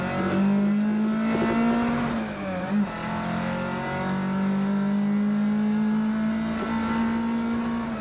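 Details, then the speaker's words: Ford Mk2 Escort warmed up on choke, driving: raspy, loud hollow drone rising and falling with revs from a cheap, very worn-out exhaust with a cracked hole in the side. "And that's the sound of a very cheap and very worn out exhaust system."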